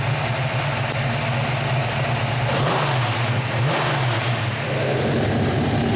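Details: 1972 Hemi Cuda with dual four-barrel Sniper setup, heard from the rear with exhaust cutouts open: deep, loud, lumpy V8 idle swells into a quick clean rev and drops back, crisp and even; healthy engine.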